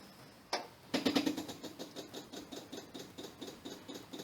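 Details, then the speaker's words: Electric SU primer fuel pump running with ignition on and the car in neutral before starting: crisp, even ticking at about four per second in a quiet space as it fills the float bowl normally. "this is the um little primer fuel pump here the su fuel pump so you'll hear that running first and you might see the fuel come up there"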